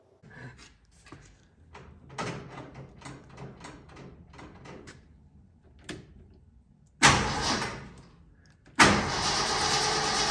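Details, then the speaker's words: Truck called Myrtle, just fitted with a new gas tank and sending unit, battery on for a while: a few quiet clicks, then the engine catches with a burst and settles into a strong, steady run; starts cleanly, normal start. "listen to this glorious sound that you are about to encounter it's wonderful"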